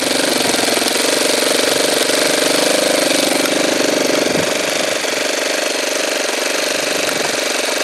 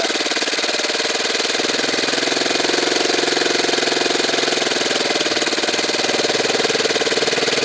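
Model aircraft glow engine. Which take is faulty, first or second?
first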